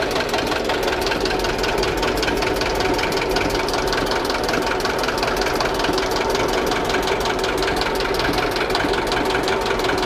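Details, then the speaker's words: Old diesel in homemade boat, just started via decompressor and glow plug: steady even idle with regular clatter, no misses; oil pressure coming up, charging 12 V positive. Normal idle. "Масло потихонечку пошло, зарядочка в плюс пошла, 12 вольт амперметр, ну пока еще не доделал амперметр, разберемся, в чем причина."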